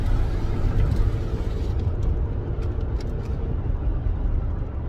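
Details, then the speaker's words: 2008 Toyota Tacoma driving on a new Walker Quiet Flow stainless muffler that replaced a poor one: low, soft road rumble, no drone or boom in the cab. The earlier droning is gone; quiet, healthy exhaust. "Yeah, it just sounds, it's like a regular car now. Quiet, you don't get that droning noise."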